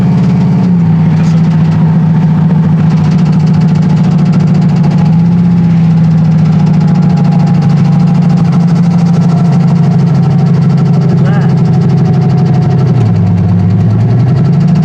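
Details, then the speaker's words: Turbo truck at warm idle, running 5 to 8 psi boost, which earlier lost oil pressure when hot; temperature and oil pressure now fine: light intermittent knock over steady drone with brief speed dip; rod knock or pulley suspected, unconfirmed. "Is that a rod knock? Let it idle."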